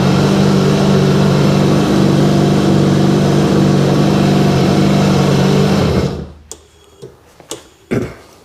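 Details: 2000 Sea-Doo GTX DI after replacing a bad PTO injector, on a weak battery: the engine holds a smooth, even drone for several seconds with no misses or stumbles, then shuts off cleanly; running right.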